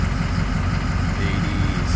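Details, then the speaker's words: Ford 6.0 diesel after an OEM IPR fixed rough cold idle, high ICP and hot no-start, warm at 22% IPR: steady, even low rumble with no stumbling or hunting; healthy idle. "just wanted to show you guys another clip it's uh getting on the warm side now and uh here's the numbers I got so 22% IPR"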